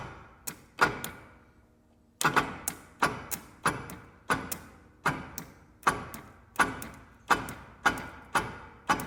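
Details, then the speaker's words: UTV, sat with hood off and airbox open, solenoid jumped after brake-switch fuse bypass: sharp single clicks every half to one second with no cranking; engine locked up. "Guys, sounds like she is locked up."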